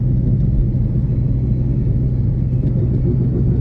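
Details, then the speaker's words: 2008 Honda Civic Hybrid road test: steady low droning hum under road rumble, worn wheel bearing; noise doesn't change turning either way, could be either front or rear; slightly loud exhaust also present. "All right, so you're gonna hear immediately. You're gonna hear the wheel bearing noise. And I'll try and identify which one it is as we're going."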